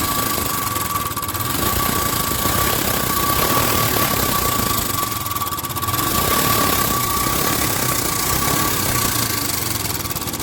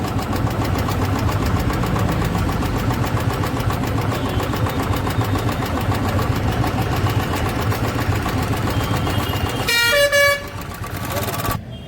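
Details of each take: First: Royal Enfield Bullet Electra 350 UCE (2017) after fixing loud tappet noise: steady single-cylinder thump at idle with only a faint light tick, no loud tappet clatter; valvetrain sounds fine. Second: Royal Enfield Bullet Electra 350 UCE, 2017, idling: fast, loud light ticking over the single-cylinder thump. Hydraulic tappet noise; the mechanic suspects an oil supply problem and checks the oil filter.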